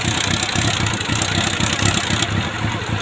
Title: CB400 PB1 ENGINE RATTLING NOISE